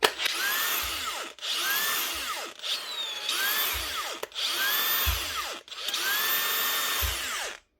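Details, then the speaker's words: Makita power tool, a repeat repair that got a new switch nearly a year earlier: the motor whirs up in roughly one-second bursts, then cuts out abruptly, over and over; it doesn't always run right, with intermittent running from a faulty switch. "what's going on there she just doesn't always run right this was done here before so check it was done the last time"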